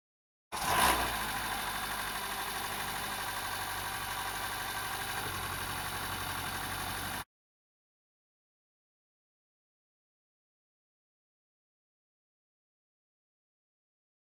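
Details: 2013-2017 Honda Accord 2.4L Earth Dreams engine on a cold start: brief harsh rattle fading into a steady idle from the cam chain tensioner (Honda TSB 19-019); the fix is a new tensioner.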